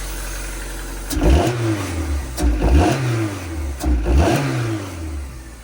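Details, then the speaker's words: Used engine swapped into a right-hand-drive JDM import, first start after the swap: revved three times, a dull knock on each rev fading at idle, with heavy oil-smelling smoke; internal knock not lifter tick, cause unconfirmed. "And I'm getting a little bit of a knock noise."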